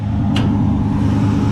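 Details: 1965 Ford Fairlane 500 with a 289 V8, newly fitted Holley Street Warrior 600 CFM electric-choke carburetor, plus reset timing and a new battery, heard with the hood open: a low, even idle burble with no misses or knocks. It idles smoothly.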